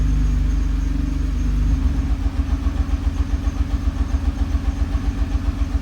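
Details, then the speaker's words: Nissan R35 GT-R at idle: deep idle with regular low thump about three or four per second, misfire popping through the prop shaft, not bell housing; cause unknown (injector, spark plug or burnt valve possible). "You hear like a pop coming through it. I see engine misfiring. Could be anything from bad fuel injector, bad spark plug, burn valve, who knows?"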